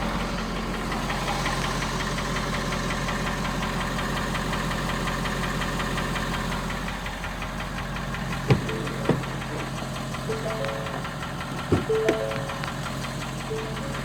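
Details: 2017 Ford F-250 Power Stroke diesel cold start: a sharp, regular knock rides over the diesel clatter at idle and subsides as the truck warms up.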